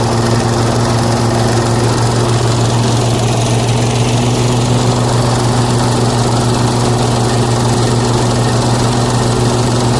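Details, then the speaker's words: Toro TimeMaster mower started after blade spindle shaft, spacer and bearing repair, with smoke from spilled oil burning off the exhaust: steady, even engine drone with no knock, rattle or grinding. It runs normally. "Alright, so I call that a win. Go ahead and excuse all the smoke burning off the exhaust."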